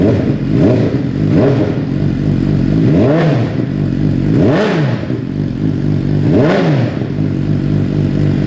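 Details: 2015 Suzuki GSX-R600 with newly installed M4 full exhaust system, first run after install: idle with several quick throttle blips rising and falling cleanly, crisp and even, no misfire or rattle; engine and exhaust healthy.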